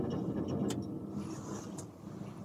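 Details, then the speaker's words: Military deuce-and-a-half truck cab heater blower running with ignition on, set from low to high: an even, airy whir over a low steady hum with no surging or rattle, normal blower operation. "and I almost forgot to mention that when you have your ignition on of course the blower motor works you can hear"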